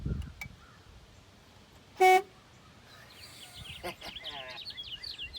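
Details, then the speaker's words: Old bass boat being checked over on battery power: one short, clean horn blast followed by birdsong; the horn works. "i didn't even know i had a horn oh it's my lucky day"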